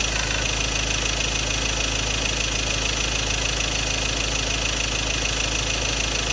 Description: Ford Ranger 2.2 XLT 2016 4x2 M/T Duratorq - Engine Rattle Sound: Fuel knocking sound, possible injector problem, unresolved by Ford Group Philippines